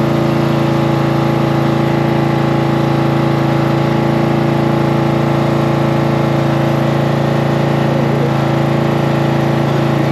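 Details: Cub Cadet tractor small single engine after battery reconnected and starting fluid in carburetor: catches and settles into steady, even idle with low smooth hum, no misses or knocks; normal running.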